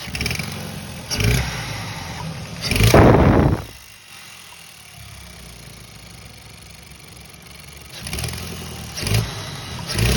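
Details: 2014 Hyundai Sonata 2.0T, engine blipped several times: raspy puffing edge swelling with revs from an exhaust leak, first suspected to be a failing turbo.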